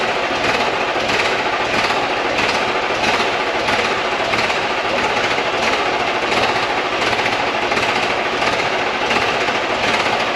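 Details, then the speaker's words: VW Touareg V10 TDI twin-turbo diesel, just reinstalled, tuned ECUs, deleted, open downpipes with no exhaust: loud raspy diesel clatter at idle, steady and even, no misses or knocks; healthy, not that loud. "That's open downpipe right now. Really not that loud."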